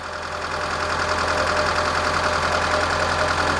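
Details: 2006 Mitsubishi Lancer, waste spark ignition, after replacing coil and plug wires: steady idle with smooth low hum and even light ticking around three per second, no stumble or misfire; random misfire, hard start and power loss fixed.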